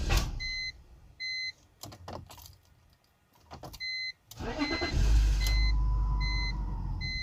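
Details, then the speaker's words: BMW 325xi: a door chime, then about a second of cranking; it fires, runs briefly and cuts right off. The in-tank fuel pump primes but sounds weak, and the engine runs on starting fluid. Finding: starts briefly then stalls. "see it starts it cuts right back off"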